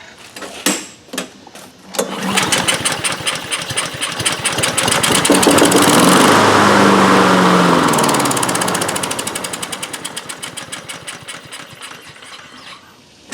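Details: Honda HRN216 mower, GCV170 engine, automatic choke pushed open, starting fluid sprayed in: fires after a couple of pulls, fast even putter, then fades and dies; spark, compression and timing fine, carburetor not drawing fuel.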